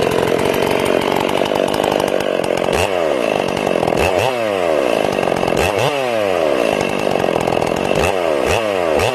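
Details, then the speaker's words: Ported Stihl MS461 chainsaw on its first cuts, still breaking in with the carb set a little rich. It screams steady, then burbles and warbles entering and leaving the wood. It sounds like four-stroking from the rich carb, partly because a limited coil caps the RPM. "So this saw is going to be a little rich, so this isn't full speed cutting, it's just breaking. It's going to take me 5 or 6 tanks to get this thing rocking and rolling."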